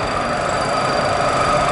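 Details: Model propeller in a cavitation tunnel at full water speed: a steady, dense rushing hiss with a faint crackle and thin whistling tones from propeller cavitation.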